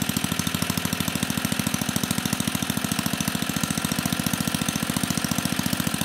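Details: 34-year-old Tecumseh H30-35387Y on a Troy-Bilt Tuffy tiller 12060, previously no compression, running on a clone carburetor needing tuning: quick even popping at fast idle, firing every stroke with no misfires or knocks.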